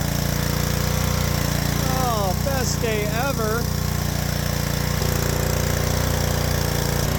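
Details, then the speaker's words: Power washer's small engine, on fresh 89 gas after carb removal and cleaning, holds a steady, even drone without choke (before, it would only run on choke), with no stumbles or surging; normal running. "oh man this is this is great I mean we took the carb off we did some cleaning and it's ready to go now"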